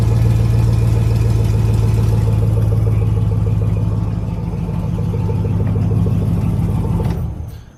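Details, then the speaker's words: 2003 Chevy Silverado V8 after in-line fuel filter replacement and priming the fuel system: catches and settles into a steady, even burble before shutting off; clean, healthy normal running. "and then uh just fire it up hopefully it fires up fire's run up it's a good sign"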